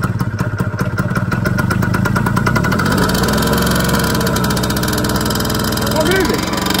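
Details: Piaggio NRG MC3 small two-stroke scooter, non-runner brought back: catches and settles into a buzzy even idle with a brief blip near the end; runs fine. Normal running.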